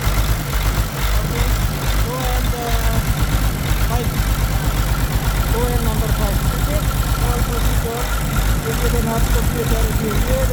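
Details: Caterpillar C13 heavy diesel idling during injector cut-out test, valve cover off, lumpy uneven beat about two pulses a second, heavy smoke; misfiring cylinder suspected from a bad injector, not confirmed.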